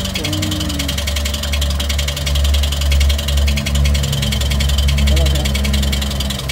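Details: Toyota 1NR-FE engine at idle: quick light ticking about two per second over steady idle.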